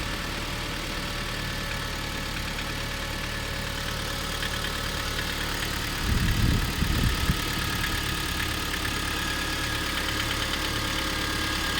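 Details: Kia Sorento 2 idling with a steady fast knocking beat about four a second under the hum; internal engine knock, cause unknown.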